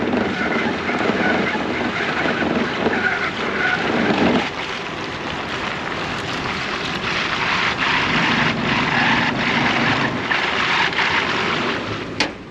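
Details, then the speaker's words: 5th-gen Toyota 4Runner on 285/70/17 BFG KO2s, KMC Trek 17x9 -12 wheels, Bilstein 5100s at full front height, 2" Icon rear springs; low-speed rough scraping with sharp gunshot-like knocks as the tire rubs the wheel well, needing more cutting. "Oh, sounds like gunshot. That was not good. Yeah, we're hitting something bad."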